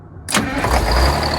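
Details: Detroit 6V92 diesel in an MCI bus conversion, still warm, after replacing the exhaust manifold gasket: it cranks briefly, fires within a second and settles into an even rumble with no ticking from the manifold leak. Normal start.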